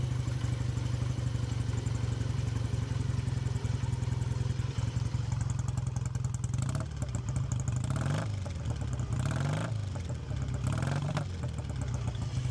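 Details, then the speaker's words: Classic British twin motorcycle (A7SS), cold and still warming up after the choke is off and the idle screw turned down, heard by the exhaust: even steady idle with a few clean throttle blips and no tapping; normal idle. "Still needs a lot of warming up, but the engine's nice and smooth as well. You can have a little listen to that. No nasty tapping or anything."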